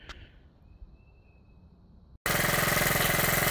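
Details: Honda Z50 small single, first start after build, chain off, left running until nearly out of fuel: steady, even putter at roughly three to four beats a second, no misses or knocks; idles cleanly.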